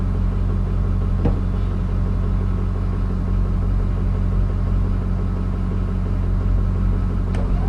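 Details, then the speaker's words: Case 1450B dozer with a rebuilt diesel engine, first runs after reassembly: a deep, steady idle rumble with no knocks or misses that sounds good so far; a fuel leak is still to fix. "I mean so far sounds good"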